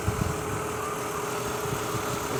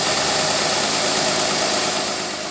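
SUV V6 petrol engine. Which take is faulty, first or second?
first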